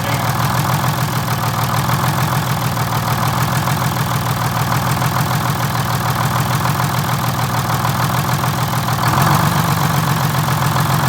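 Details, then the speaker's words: 1947 Silversides bus (3751) with Detroit Diesel 6-71: two-stroke diesel drone, slightly lumpy and uneven, rising on throttle blip after shutdown test; extra slop in governor linkage, can get full throttle or shutdown but not both. "there's a little something going on with the governor linkage on there i gotta tear into it and figure out exactly what's happening"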